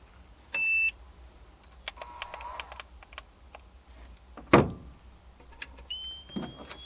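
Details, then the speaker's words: ALFFAA 1500 W inverter powering a Wagner Furno 500 heat gun, with a heater as a resistive load: one sharp beep then clicks as the inverter trips and shuts down. Owner suspects the heat gun's pulse-mode supply. "Nope, it just does not like running that heat gun."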